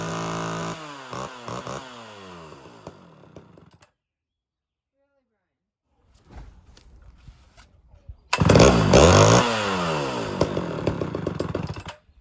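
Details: Homelite Super XL chainsaw with a rebuilt Tillotson carburetor and a known-good cylinder. It revs with uneven, stumbling bursts and dropped beats, plus smoke from carbon buildup. A misfire, with an air leak suspected.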